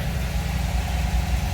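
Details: 1979 MGB (MBG) cold start on choke after a few pedal pumps, temperature gauge not yet reading; steady even low rumble, rpm rising slightly then leveling as it warms, no misses or knocks; normal cold idle.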